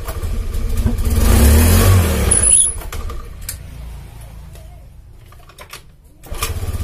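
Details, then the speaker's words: Honda Beat FI scooter with fuel in the tank, before repair; revs up loud, drops to a faint stumbling idle, then climbs again, dying when throttled; weak fuel pump pressure. "Oke, jadi kondisi mesinnya itu nggak stabil kawan ya. Tuh, RPM naik turun stasioner atau langsamnya. Pada saat kita lakukan penarikan gas, tuh tiba-tiba mati toh."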